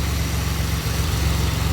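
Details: 2007 Pontiac Grand Prix GT idling after a crank-no-start fix with a swapped fuse box and a 15 A fuse fitted. Low, smooth, even idle hum with no knocks, misses or surging; idling normally.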